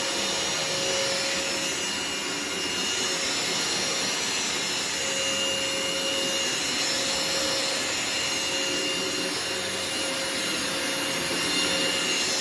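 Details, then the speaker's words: Phantom upright vacuum switched on, after a warning that it does not sound the healthiest: steady, even high-pitched air rush with smooth motor hum, no rattles or grinding; brush roll spins and suction is excellent. "so as you could hear and see the performance of the machine is excellent the brush roll spins as it should the suction on this is excellent especially for a phantom"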